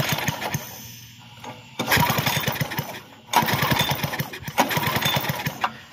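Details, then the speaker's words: Bluebird belt-driven aerator small engine, new spark plug, kill switch off: three rope pulls give quick compression chugs that never fire; no spark, kill switch wire suspected grounded, coil to be checked. "no spark. The kill switch is not on. No spark. Okay. So this plug is obviously brand new. I gotta pull this side cover off. And we're gonna check this kill switch wire and make sure it's not touching ground or anything."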